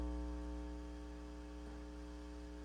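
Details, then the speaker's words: Silverface Fender Bandmaster, believed 1972 (transformer dated week 44 of 1971), with customer noise complaint, taken out of standby: steady low buzzy hum of constant pitch, measured on scope as about 60 Hz; faulty normal-channel input jacks diagnosed as cause. "Okay, so if you do your math, you take 0.005, multiply it by 3.5, and then take the reciprocal, and you're going to come up with about 60 hertz."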